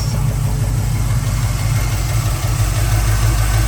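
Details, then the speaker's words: 1972 Chevrolet K10 4WD, 350 V8 with FiTech fuel injection, aluminum intake, dual exhaust, automatic. Low, even burble at idle, steady loping beat, no misses or knocks: normal idle. "This is regular exhaust, but dual exhaust. Nice pickup. Sounds good."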